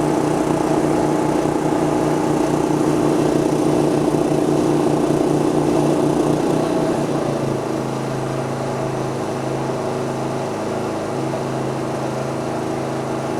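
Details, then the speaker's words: MXR3500 petrol inverter suitcase generator under changing load: even buzzing drone that smoothly changes speed and settles as load comes on, revs following power draw instead of jumping to maximum; no misses or knocks; normal running. "did you hear it ramping up the uh Power as the gear went to pool power it didn't just jump straight up to maximum revs actually followed the all the curve of the Empower draw"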